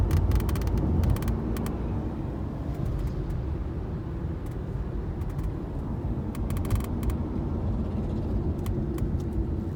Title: Sunroof Rattling noise in Nexon on such smooth roads 🥲